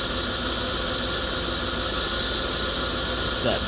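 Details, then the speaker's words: Idling petrol engine misfiring: sharp, even ticking four to five times a second from a plug wire arcing after a wrongly installed coolant hose pushed it off the plug. "Because this coolant hose somebody installed pushing on it, if you drove a car, walked that plug right off and you can hear it arcing inside there. And that's his misfire."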